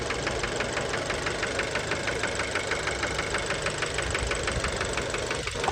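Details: Fiat Bravo 2, 1.4 T-Jet 150 HP at 215,000 km, recently serviced, close-up of engine at idle: sharp regular metallic knock about three times a second over engine hum; worn rod bearing knock, cause unknown, car scrapped.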